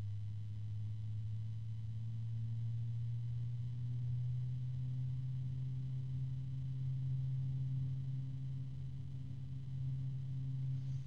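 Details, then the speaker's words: Thermalright TR TY-141 PWM fan running: steady low hum with a faint second tone above it; some rubbing and a low-pitch noise heard, otherwise no harmonics. "now I can hear some rubbing and there's a low pitch noise"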